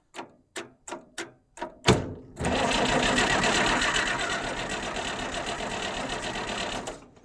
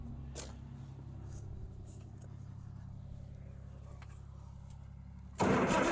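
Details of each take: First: Long-unused Farmall 806 diesel tractor: a few clicks, then the starter spins the engine evenly for about four seconds with no firing at all. Fuel reaches bleeder two but the injection pump shows zero fuel; cause not yet confirmed. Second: Farmall 806 tractor, long-forgotten, first start attempt: steady even starter churn about four turns a second with no drag, then a loud burst; healthy cranking.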